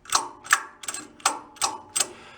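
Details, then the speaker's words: 1962 Homko snowblower engine, recoil pull starter spun by hand: sharp dry clicks about three per second; drag between the parts pushes the pull start out and sounds chalky, needing a little light oil. "if there's any kind of drag between the two of them it tries to push the pull start out that was that noise that you're hearing so by me spinning it i can hear it's kind of chalky"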